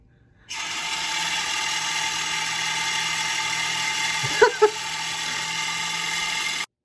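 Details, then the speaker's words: Dell OptiPlex 790 SFF with broken Foxconn CPU blower fan: extremely loud constant high-pitched screech and rasp with grinding rubs from power-on to shutdown; worn fan bearing rubbing, replaced with a Delta fan. "headphone users beware this is extremely loud do not listen to those with high volume this is your warning"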